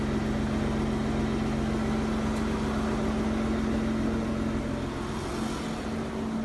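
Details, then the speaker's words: Aston Martin DB9 V12, warm and idling: a quick tick rides over the hum, the DB9 tick. It comes from the connecting-rod small end bush and/or piston slap from oval-worn liners. "and now here is a db9 tick that is getting to the point where embarrassment of the noise prompts you to fix it so this is pretty much the worst tick that you'll hear the tick is from small end bush where on the connecting rod"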